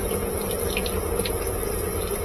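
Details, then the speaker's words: Strong, even rush of water into the tub with no chatter or hammering: GE washing machine under warranty; cold and hot inlet valves both tested working, filling normally before pump test. "so both of the water valves are working we're just going to put some water in it make sure we have enough for the pump to drain"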